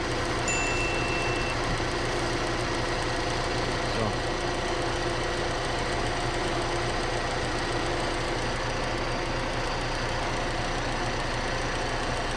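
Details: Petrol car (VAZ "four") idling evenly with AC on after belt treatment; steady hum, no belt squeal or whine. Squeal lasted two years despite replaced alternator, bearings and tensioner roller.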